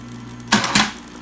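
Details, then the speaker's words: 1960s Smith-Corona Electra 210 electric typewriter: a buzzy motor hum, possibly from hardened rubber bushings, then quick sharp clacks as the carriage snaps back. The two-speed motor shifts to high speed for this healthy, fast power return. "got a nice fast power return very nice"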